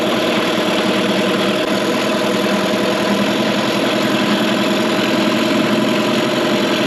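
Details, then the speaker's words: 2003 Mercury 15 hp two-stroke electric-start outboard in a test tank during first startup after restoration: earlier backfiring gone; steady even buzzing idle, no pops or misses; owner suspects a vacuum leak; normal idle. "no matter does sound like it's running much better now it's not backfiring anymore"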